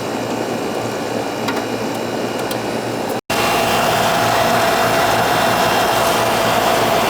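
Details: Older central AC outdoor unit with TXV: steady fan whoosh with even compressor hum, no rattles or squeals; running normally, subcooling at 9, charge correct.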